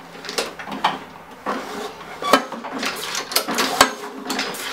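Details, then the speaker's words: Craftsman 917371722 mower with Honda GCV160 engine, curb find that won't start: engine off, scattered clunks and clicks as the starter rope is pulled, owner suspects the blade hitting a bent deck. "that what we have is a blade down there that's hitting something could be the deck the bottom of the deck might have a bend in it"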